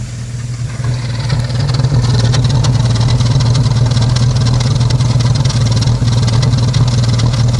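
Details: 4.0 engine with carburetor: loud low idle with slightly unsteady hunting beat and faint hiss; owner suspects vacuum leak around the carb; rough idle.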